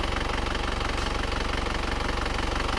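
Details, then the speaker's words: Isuzu Panther Grand Touring Euro 2 diesel after repair for oil burning and blow-by, warm at 79 °C after a 7 km drive, idling smoothly and evenly with a steady low thrum, light regular clatter and minimal vibration; normal diesel idle. "Nah, ini suara mesinnya sudah halus rata. Mesin juga minim getaran."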